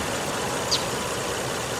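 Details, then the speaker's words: 2003 car warm, near operating temperature after restart following 11 days sitting and odd cranking, awaiting readiness monitors for inspection: quiet, steady idle hum, no knocks, ticks or stumbles; normal idle. "But everything is running just fine. It's just about up to operating temperature, so I'll stand out here for another 5 minutes and let it do its thing."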